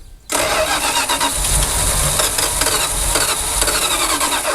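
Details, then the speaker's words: 1976 Dodge Power Wagon W100 parked 16 years, possibly flooded: starter spins engine steadily about four seconds, never fires; spark plugs look good but no fuel reaching engine. "let's try to fire it one more time yeah I don't think it'll start again one second go ahead"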